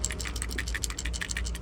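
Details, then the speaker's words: Removed Toyota Camry trunk latch actuator shaken by hand: quick loose clicking rattle from a part broken internally; new latch is silent, so it was replaced. "you can hear the uh the trunk latch here this one is broken you can hear something is rattling inside"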